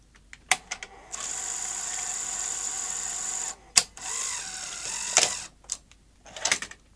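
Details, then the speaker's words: Sony SL-HF900 SuperBeta NTSC VCR front loader after fixing the loader spring and refitting the drive belt: sharp clicks, steady motor whirr, firm clunks as the tape loads and ejects cleanly. "and now will it take the taping properly and eject quite vicious where it ejects the tape at the end but that spring was the problem"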